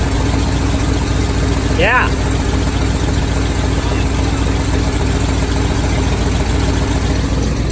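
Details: 1978 Chevy truck, abused mid-70s 350 V8 after ignition timing set almost dead-on: steady even idle with constant low rumble and one brief whistle, no hunting; sounds right.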